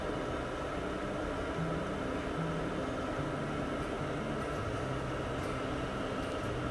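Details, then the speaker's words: Campervan diesel heater running after a few minutes of warm-up: steady even blower whoosh over a low burner rumble, no surging or pops. Normal running. "Here's an idea of the effectiveness of the heater in real time."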